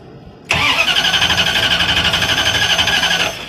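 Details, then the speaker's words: Van that died after idling 2–3 minutes, restart attempt: sharp high-pitched hiss or whistle over the rapid cranking beat, about four pulses a second; owner suspects a vacuum line or exhaust leak, not confirmed. "Yeah, you can hear that high-pitched sound when I try to start it. Oh, this fucking van."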